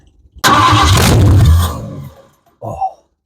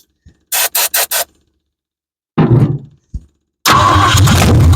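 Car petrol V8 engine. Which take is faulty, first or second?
second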